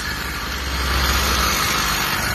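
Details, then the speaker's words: Freshly self-built two-stroke motorized bicycle, first start on break-in fuel mix (about 8 oz oil per gallon): a steady, even buzz with a constant low drone and no knocks or misses. The build succeeded and the engine runs healthy. "So my first build ever was a success. Like I said, it might not look the prettiest, but it gets around and it does good."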